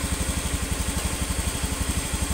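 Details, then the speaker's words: Honda Beat FI (Beat ESP New) scooter idling after piston replacement; before, the oil ring and second compression ring caused oil loss and harsh noise at the front of the head at 4000–5000 rpm. Now even putter about nine pulses a second, no tapping, normal idle. "Ini suaranya sudah halus, sudah seperti standar."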